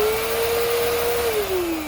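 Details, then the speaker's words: 2012 Bissell Powerforce Helix Turbo vacuum with a brushroll that was stiff from rust; a steady motor whine that drops off quickly when power is cut. The short wind-down suggests the bearings are shot; all four bearings are bad. "Yeah, I think we got some bearing issues here. That wind down, that's a good indicator that the bearings are pretty shot."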